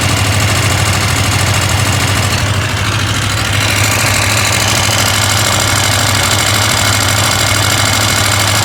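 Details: KTM 890 Adventure R twin at idle: fast, light metallic rattle over the steady beat, a bit quieter when driven; owner asks whether normal, source not pinned down.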